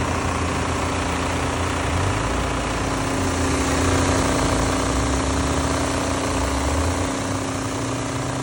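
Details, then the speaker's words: BMW F82 M4 radiator fan that had vibrated for two years and much worse since a recent track day, with the AC now blowing hot. Steady fan roar over a constant hum with uneven low throbbing; a chipped, out-of-balance fan blade rubbing the shroud. Fan was replaced. "So, I need to get my radiator fan fixed. It's been vibrating like crazy. It's been vibrating for the last 2 years"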